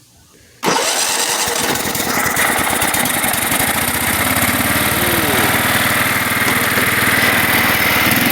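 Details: Kohler Command 12.5 OHV single-cylinder mower engine after coil replacement for warm stalling: cranks, catches at once and runs steady and even with no misses; healthy, though kill wire not yet connected so it won't shut off.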